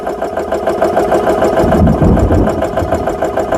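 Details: GX CS3 high-pressure compressor after repair with four new O-rings, no filter fitted, set to 3,200 PSI, filling an air gun from about 2,500 PSI: rapid, even piston pulsing about three beats a second with steady mid-pitched hum; running normally.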